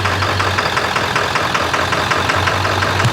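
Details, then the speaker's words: Ford Excursion with 7.3 Powerstroke diesel, ~500 hp build (Full Force hybrid injectors, dual fuel pumps, KC turbo, S&B intake), freshly reassembled, on a Jelly Built tune for single-shot injectors: even, steady idle clatter with regular ticks, no misses or knocks, "purring like a kitten"; normal idle. "Listen at it. Purring like a kitten. Well, Sounds good."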